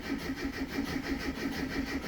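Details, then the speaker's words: Classic Mini MPI after an in-tank fuel pump swap, with about five liters of fuel and the pump heard priming: even starter cranking goes on and on and never catches, so no start. "you know the fuel pump going i would expect it to start by now so i'm a bit concerned"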